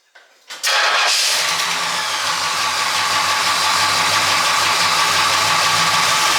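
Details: Petrol engine cranks, starts and idles with a busy crackling "popcorn" rattle over the hum; timing chain, bearings and loose parts were checked, water pump was replaced unnecessarily, and the noise was traced to one unexpected component.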